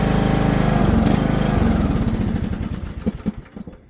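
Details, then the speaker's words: Riding mower engine on full choke chugs unevenly, then fades and sputters out within seconds; it won't stay running because a carburetor jet is clogged, with the idle jet clean and the main jet clogged, and carb cleaner is planned. "so this one doesn't stay running uh one of the Jets is clogged in the carb so let's actually take a look at that"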